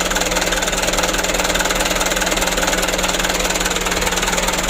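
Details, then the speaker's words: Mitsubishi Canter diesel after injection pump plunger replacement, idling: steady knock about three beats a second, slightly uneven in strength; engine shaking while pump is adjusted gradually. Rough idle, fuel delivery not yet balanced. "kita usahakan jangan terlalu parah goyang mesinnya kita coba dulu ya Kita sesuaikan fasilitas buangnya jangan terlalu banyak sekali asapnya"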